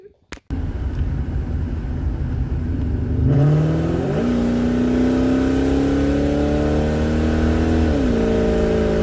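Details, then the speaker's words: 1999 Ford Mustang GT V8, after new cylinder 3 coil pack and all eight spark plugs fixed a P0303 misfire: catches and settles into a smooth, even idle, then a clean rev and drop with no stumble; running right. "so I just want to end the video here thank you very much for checking out how to fix a misfire with a coil pack and new spark plugs after everything it's running great"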